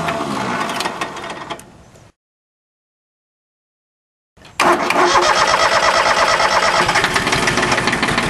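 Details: Small three-cylinder Yanmar diesel with air in the fuel system after a fuel filter change: cranks unevenly and stumbles, goes quiet, then fires into steady rapid clatter once the filter and all three injector lines are bled.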